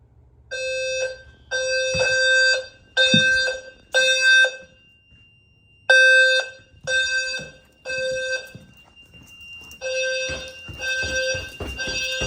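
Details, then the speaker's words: Home fire alarm system after programming and power-up, bedroom detector (address 10, level 2) tested: repeated bright electronic alarm tones in on-off bursts about once a second; sounder working properly and sounds better than before. "That sounds better, doesn't it?"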